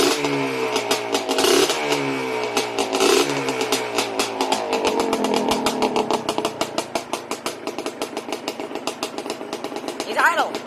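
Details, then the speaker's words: Yamaha Blaster two-stroke on first start after a rebuild: crisp rapid popping rising cleanly with throttle blips, no knocking underneath; idles and runs healthy. "idle the blaster lives again and there's no knocking"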